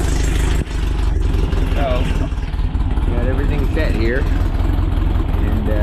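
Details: VW Split Bus air-cooled flat-four upgraded from 1904cc to 1968cc (92 thick walls, SuperStock 37/32 heads, Weber carbs), freshly installed: steady, even low putter with a clean, regular firing beat and no knocks or rattles; a healthy idle.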